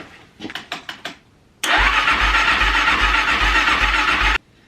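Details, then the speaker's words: Kawasaki KXF400 quad with carburetor leaking fuel around the bowl, dead battery on jump pack, choked, gas in bowl: short cranking bursts then long steady even crank, never catches; cranks but won't fire. "There's gas in the bottom of the bowl of the carburetor. I'm going to see if it's going to fire up. I'm going to choke it."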